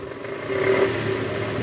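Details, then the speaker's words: 2008 Toyota Camry XV40 2AZ-FE, AC on, in reverse with throttle blips: rough clattering knock rising with revs, gone in neutral; traced to oil pan area, worn or loose balancer shaft. "nah bunyi kernya ini kita ah analisa sumbernya ada di panci oli indikasi balanersapnya sudah aus atau oblak guys"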